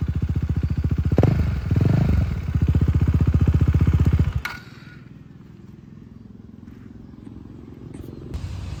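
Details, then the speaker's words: KTM Duke 390 single-cylinder engine in neutral: even thumps with a couple of throttle blips, then a quiet steady idle; normal engine sound (tick-tick noise elsewhere blamed on a failed chain tensioner). "देखो भाई, 390's engine का शोर ये हो रहा है, भाई। यह सामान्य शोर। बिल्कुल। चुपचाप।"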